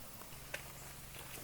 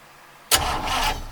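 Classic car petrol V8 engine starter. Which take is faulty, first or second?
first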